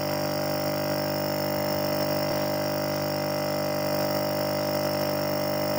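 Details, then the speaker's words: Refrigerator compressor that had hummed without starting, drawing 5.8 A instead of about 0.8 A, retested with the original PTC after fixing a poor connection: smooth steady mains hum, starts and runs normally. "Sekarang kita tes lagi apakah dia menyala dengan normal. Oke, ternyata menyala ya."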